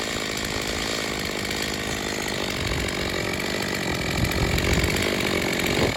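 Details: Stihl MS250 chainsaw after carb tuning, test cut: steady high buzzing two-stroke holding revs through the cut, a little uneven but pulling strongly. Tuned rich for break-in after leaning the low speed ran poorly; compression is possibly a little low.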